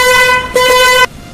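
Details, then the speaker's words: Roots ring-tone horn after repair, contact screw loosened after being overtightened so points vibrate: two strong clear steady blasts with bright buzzing tone, no rattle; horn sounding properly at its loudest. "अब इस प्रकार की जो side है बहुत ही पंछी sound है इससे ज्यादा पंछी साउंड नहीं निकाल पाएगा"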